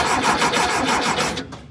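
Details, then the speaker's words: VW Thing air-cooled engine during a tune-up: even starter cranking at about four or five beats a second for over a second, never catching, then stopping. It cranks but won't start after the fuel filter was primed. "do it not want to start the click is happening"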